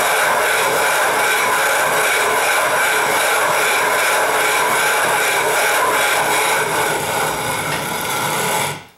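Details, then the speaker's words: 12.5-inch telescope mirror hogging on a spin/fixed-post machine, sub-diameter tile tool with most of the weight pressed down: loud even gritty rasp steady for nine seconds, then stops; fresh grit biting the glass normally. "I'm putting most of my weight down on a tool you can hear it cutting no ST when the noise is quieted down or you get"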